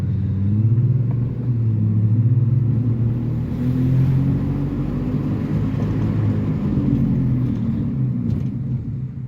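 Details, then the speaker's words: Worn-out, run-down teenager's first car, inside the cabin after a brake caliper replacement: a deep, rough droning growl as it gets up to speed, with heavy cabin vibration; worn wheel bearing and destroyed engine mounts suspected, not confirmed. "just when you start to get up to speed you could definitely hear that wheel bearing and then there's a crazy vibration that just comes over the entire cabin"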